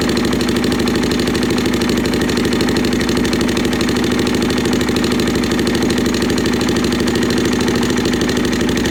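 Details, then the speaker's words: Suzuki LT-Z400 ATV with manual cam chain tensioner, aftermarket pipe, apparently missing top engine mount, idling: light fast ticking about three a second over steady idle, loudest on right side near cam chain; top-end ticking, mechanic suspects cam chain slack or valve clearance, unconfirmed. "Definitely on this right hand side, definitely around the cam chain, but I just want to look and see how much slack we already have in the chain maybe."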